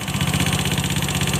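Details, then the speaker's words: Honda Scoopy FI scooter, CVT removed, running at idle: rapid even ticking clatter over the idle beat, dry rough top-end rattle still present without CVT, pointing to the engine; valve train noise from loose valve clearance. "Soalnya ini udah tanpa CVT, suara kasarnya masih terdengar."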